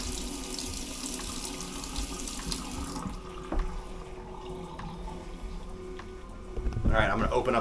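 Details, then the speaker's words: Cold water tap on a resurrected, previously sunken 2021 Leopard 50 catamaran: steady, strong rushing water, no sputter or air bursts; fresh water supply working normally. "See if we can get a bunch of hot water running through. Alright, we got good cold water flow through. Yeah!"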